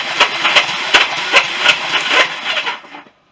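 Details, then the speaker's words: Barn-find Honda CB350 motorcycle cranked on the electric starter with spark plugs out after fixing starter button wiring: hissy whirring, even pulses about three a second, winds down; turns over, starter sounds a bit worn. "That noise you can hear there is just a starter. A bit knackered by saying that."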